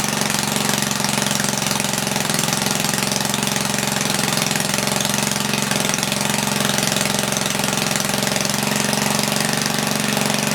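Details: 1976 Tilly rototiller, 3hp Briggs & Stratton with points, revived after years not running; main jet leaned, points cleaned. Loud open-exhaust crackle steady at 3400 rpm, no load, slightly fluttery, no misses or surging; normal running.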